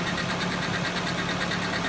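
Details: Nissan 240SX project car running after a new battery: smooth even idle, steady low hum, soft regular ticking, no knocks or misses; engine sounds healthy, normal idle.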